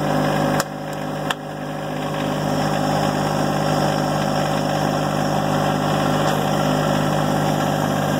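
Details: John Deere 1025R compact diesel tractor, after glow plugs cycle: cranks, catches within a second and settles into a steady, even clatter with no misses; a normal start and idle.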